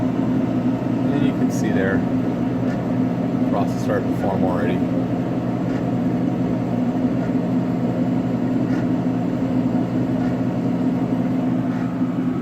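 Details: Bunn ice drink frozen-beverage machine on a food truck, after blowing out the radiator for poor freezing: steady, even low hum from the refrigeration compressor with no knocking or rattling; the unit is running normally.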